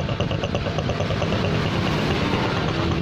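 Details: Honda Supra X125 motorcycle after fixing the cracked head breather hose that disturbed the membrane: steady low putter at idle with even beat, no hunting or snoring; smooth after repair.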